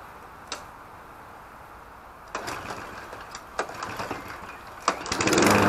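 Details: Petrol lawn mower (Briggs & Stratton or Mountfield HP454 pair), not started for over a year, fuel added, no primer bulb found: several separate recoil pulls, then the small engine catches and starts running.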